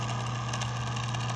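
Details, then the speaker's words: 1981-1985 Mercedes diesel cruise control actuator bench test, power applied to motor pins; steady low hum with rough gritty crunchy edge throughout, vibrating to the touch: noisy worn actuator motor, what a good unit should not sound like. "It has kind of a crunchy sound. Maybe we can name this one Crunchy."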